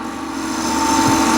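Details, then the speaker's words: Woodturning scraper with a sharp burr, used flat with a very light touch on a lathe-spun bowl at higher surface speed: quiet, steady whistling with no grabbing or chatter, cutting cleanly for a good surface. "I hope you can hear the whistling sound really nice um smooth sound there is no grabbing there is no fighting or anything it's just"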